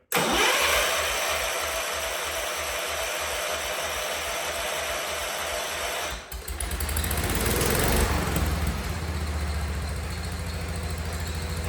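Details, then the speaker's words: A 47-year-old Wheel Horse tractor, after work on the suspected fuel tank problem, catches and settles into an even thumping idle; this shows the fuel pump is working (the carb sits about 6 in above the pump), though the carb may need some tuning. "yeah guys look at that things idling man that's awesome so again that tells us set the fuel pump's working"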